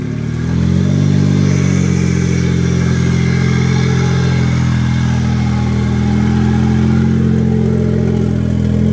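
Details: 1JZ swap in FC3S chassis that won't boost; as revs climb the note turns rough and uneven, stumbling instead of pulling clean; misfire fixed by grounding the neutral safety switch.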